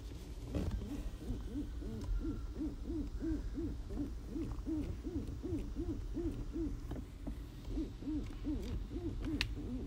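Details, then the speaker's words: 2013 Toyota Highlander, heard under the dashboard: repeated rubbery squeaks, two or three a second, as the steering wheel turns. The steering column rubber boot is rubbing against the coupling, and silicone spray was applied as the fix. "so it seems that this rubber housing is rubbing against the other coupling and that is what is making this noise"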